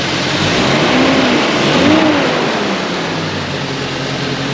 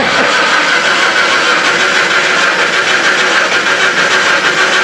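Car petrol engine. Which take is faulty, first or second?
second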